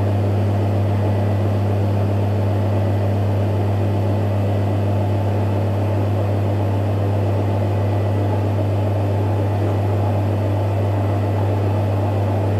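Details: Electrolux EWF 16589 W washing machine on 60 Cotton programme, after an unbalanced spin with very noisy bearings: steady low drain-pump hum that never pauses or shuts off, sounding very unhealthy as it keeps pumping out water.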